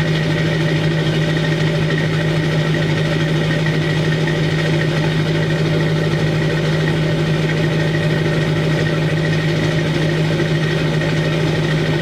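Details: 2002 Chevy 2500HD LB7 Duramax diesel cold-started at 5°F on Merchant high idle, Airdog lift pump, PPE boost valve, resonator delete; loud steady drone at even raised idle, firm low tone, no misses — normal cold high idle.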